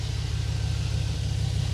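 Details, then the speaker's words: 2006 Chevy Silverado 4.8 Vortec V8, just after the starter was replaced with a 9-tooth unit: it started right away and gives a smooth, steady low rumble with even firing and no grinding or clicks, idling cleanly. "oh yeah it's running good now got that starter replaced all the way down in there"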